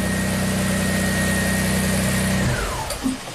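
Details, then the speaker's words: 2005 Audi A4 with 2.7 turbo V6 swap: steady idle for about two seconds, then the fuse jumper feeding key-on power to the ECM is pulled and the engine dies abruptly and winds down; fix is permanently jumping the two pins. "obviously it'll shut off. So all we need to do is permanently jump these two pins and ship this thing."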